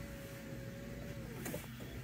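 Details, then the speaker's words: Low-mileage Toyota MR2 stood since the start of Covid, ignition on during first inspection; faint steady motor whine for over a second, then sags and stops as the power aerial extends; normal power aerial operation. "I can hear an aerial"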